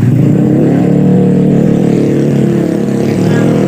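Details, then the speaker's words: Motorcycle engine running very loud and rough with heavy clattering that follows the revs: connecting rod noise caused by the con rod being fitted incorrectly. "setang piston nya sudah bermasalah Suaranya sangat berisik berisik parah nah berisik parah itu diakibatkan oleh proses pemasangan di bagian Setang Seher"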